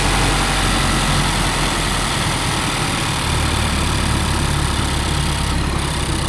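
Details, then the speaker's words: 2018 Mazda CX-5 at idle right after replacing the old water pump: smooth, steady low idle with an even hum, much quieter than before, no rattle or grinding; normal idle. "right when I turn on the car this engine is way quieter now man I'm just glad that it was just the water pump not the whole entire engine"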